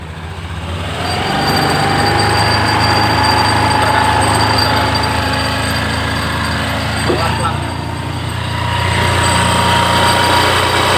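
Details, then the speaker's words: Honda Beat, a few months old: quiet and normal at idle, but when revved to a certain point a light metallic jingling rattle rides on the steady engine drone; the source, whether a fault or a loose attached part, is unknown. "Kalau tidak digas dia tidak timbul suara artinya suara normal begitu ya sekarang kita gasnya di titik Tertentu bisa akan bunyi mekarnya sini"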